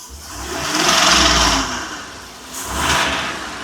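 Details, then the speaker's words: 2020 Ford F53 motorhome chassis, 7.3 V8, codes P0304 and P0308; two throttle blips with rough uneven note and ragged clatter, misfire on cylinder 4 despite new coils, wires and plugs; suspected damaged rocker or pushrod. "a mi experiencia se oyó un ruido se un ruido Como que este tuviera una un r Ah un balancín etcétera como que tuviera dañado una varilla"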